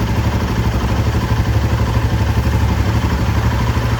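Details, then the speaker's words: Royal Enfield Himalayan 450 just back from service with a replaced engine head, new valve-clearance shims and fresh coolant: low, even thumping idle with no tick or clatter; the earlier engine noise is gone, though the owner expects it may return after 500–1000 km. "Today we got our bike back from Royal Enfield. As expected, they have changed the engine head, added new shims. The engine noise is not present now."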